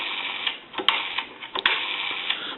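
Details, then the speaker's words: Automatic Electric 3-slot payphone rotary dial after oiling, cleaning and adjustment (it previously resisted and started to lock up): dial spins back with an even whir and light clicks, no catching; smooth normal return. "we also went through the rotary and as you can see that is smooth and returning the way it"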